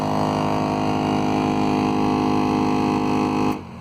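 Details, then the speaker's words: 2003 Toyota Corolla blower fan: quiet on low, but on max a loud, rough buzzing roar with rapid flutter, then it stops cleanly. The cause is leaves or nesting debris in the fan cage behind the glove box. "today i'm gonna attempt to fix this loud noise when you turn the fan or the ac on on this 2003 corolla"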